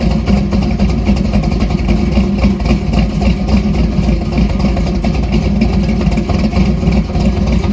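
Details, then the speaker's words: 1968 Dodge Dart drag car, stroker Mopar small block with solid roller cam, warm-up idle after throttle opened slightly for a clean idle: loud choppy idle pulsing about four times a second, even beat; healthy. "I did actually just uh adjust that throttle up a little bit um just want a little bit more throttle blade opening to sustain a nice clean idle"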